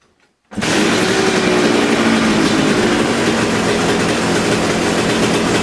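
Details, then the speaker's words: Kawasaki KX250 two-stroke back together and running after bogging fix, still needing carb tuning; restarted after it nearly ran away, it revs loud and raspy and never settles to a low idle, idle hanging high; owner plans to back out the idle screw. "it almost like I said it really sound like it was going to run away there so I'm gonna start it back up here and see what happens hopefully nothing catastrophic"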